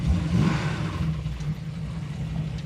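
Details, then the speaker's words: Roadkill project car V8: deep, rough rumble with a dull knock under the revs that fades at higher rpm; only 23 psi oil pressure at about 4,000 rpm. Rod knock, engine finished. "Oh, yeah. That's a rod knock. Is there any oil in it? Yeah, I mean, it's got oil pressure. Oh, no, it doesn't. That's a rod knock. It's done."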